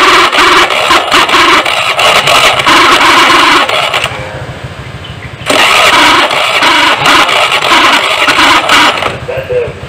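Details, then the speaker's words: Honda Beat before repair, with a starter that sounds rough and can't turn the engine over: two harsh, gritty starter bursts of about four seconds each that never pick the engine up; a dragging starter. "ini sudah ada motor BIP feat ini dengan permasalahan tak ternyata kasar dan tidak mau menghidupkan mesin ya jadi starter nya itu ada masalah bunyinya pasar dan tidak kuat mengangkat Mesin"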